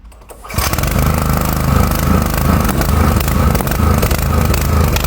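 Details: Four-stroke petrol generator that runs badly and stalls: it runs loud and uneven with irregular sharp pops into the exhaust. Valves or very late ignition are suspected.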